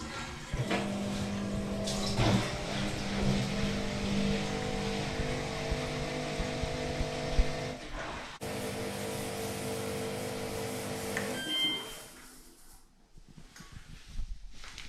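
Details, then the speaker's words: 2009 Samsung WW7708N6W1 washer with a newly replaced drain pump, on a quick test cycle: steady low hum with water rushing through, no grinding or rattles; it drains quickly where before it trickled slowly and errored. "it's draining properly. You can hear that."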